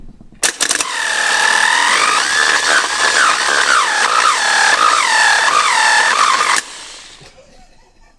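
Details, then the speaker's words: 1968 Pontiac Bonneville sitting 48 years in a barn, previously seized: engine turns over fine but a high warbling whine rises and falls for about six seconds without clean crank rhythm; failing starter motor, later replaced. "Alright, so from what I can tell, our motor still turns over just fine. He's happy. Our starter, however, has seen better days, those days being anything prior to today."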